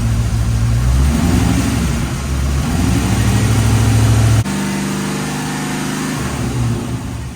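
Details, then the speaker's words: 1989 Corvette C4 after the loose distributor was tightened and timing set, advancing to 26 degrees. Engine revs up cleanly and settles to a steady idle with no misses: normal running. "It's super the way it is now. all I did was timing, okay? Distributor was loose."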